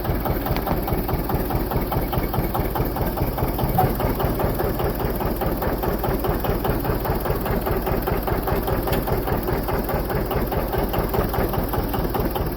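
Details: John Deere 730 two-cylinder diesel tractor with a rebuilt water pump (2 gaskets, 3 O-rings), first run in 8 years after a belt start with the generator off: slow, regular putt-putt pulses holding even with no misses, a healthy idle.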